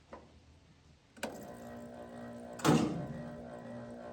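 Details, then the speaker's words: New Taco 005-SF5 stainless cartridge circulator pump for a Central Boiler outdoor furnace, bench-tested briefly without water flow; after bumps a low steady even hum, no rattle or grind, working normally. "We'll test this one. See, should be able to just hear it, like the hum."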